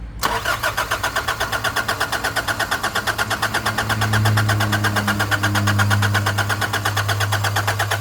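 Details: Nissan Navara D40 after a fuel filter replacement: long steady cranking about three turns a second with no firing. The fuel system was not primed enough with the hand pump.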